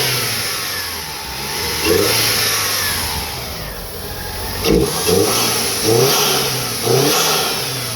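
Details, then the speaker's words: 1995 Eagle Talon TSi at idle after fixing a bad vibration and refilling power steering with correct ATF; idle keeps swelling and dropping every second or so, revs cleanly; idle surge, owner plans throttle body and idle air valve work. "It's still doing that surging on the idle, but it revs and sounds."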